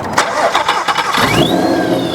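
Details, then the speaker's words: Wrecked supercharged Mustang GT, first start after delivery from Texas: brief cranking catches cleanly into a steady idle as supercharger whine sweeps up, exhaust loud; healthy start, supercharger spinning. "Wow. Sounds great. That's spinning. Oh, there's oil in there or whatever. Sounds good. Yeah. Sounds really good. The exhaust is pretty loud too."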